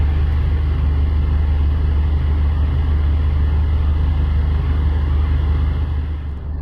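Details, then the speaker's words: Tata Indica Xeta with AC on, idling after fuse and switch replacement: steady, even engine drone with smooth radiator cooling fan rush after 2–3 minutes of running; AC cooling properly, though low gas or compressor fault still suspected. "तकरीबन 2 से 3 minute चालू रखने के बाद आप fan की आवाज़ भी सुन सकते हैं कि फ़ैन की आवाज़ इस समय आ रही है, जो रेडिएटर का फ़ैन है उसकी आवाज़ आ रही है यहाँ पर।"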